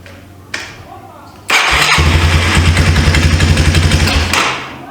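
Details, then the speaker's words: 1995 Yamaha Timberwolf 250 ATV, abandoned, first start not yet warmed up: fires and settles to a slow, lumpy, fluttery idle that sags away; idle speed set too low, needs screwing back up. "Oop. Still a little fluttery. I gotta get a screwdriver so I can idle it back up."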